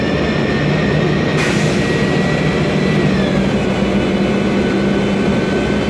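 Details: MAN Lion's Classic city bus, 2007, MAN E2876 LUH03 EEV turbo CNG engine, Voith DIWA 864.3 4-speed automatic, cabin: a thin high whine over loud road rumble, dropping slightly in pitch partway, from a noisy gearbox.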